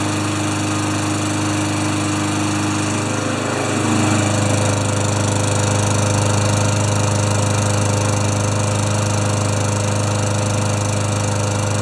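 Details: Craftsman Tecumseh mower after new air filter, clean plug and sharpened blade: catches and settles into a steady, even drone with low thrum, warming up smoothly without misses.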